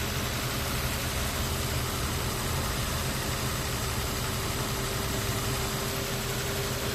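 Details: 2005 Nissan Xterra 4.0L V6 idling: steady mid-pitched howl riding over a dense, hissy running noise from the engine bay; weird howling, cause unknown.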